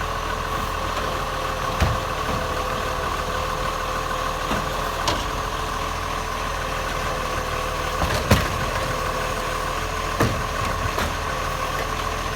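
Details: Acco garbage truck #2538 (Monash) with an exhaust leak: diesel idling with uneven raspy puffing and occasional sharp taps over the drone, loud and ragged.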